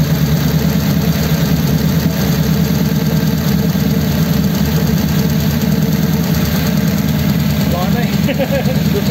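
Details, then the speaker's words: 1933 coupe hot rod, mostly stock engine, just started after a dual carb conversion, no choke. Steady, even idle with a smooth low thrum and no knocks, misfires or stumbles; both carbs drawing, nothing wrong. "nothing wrong with that"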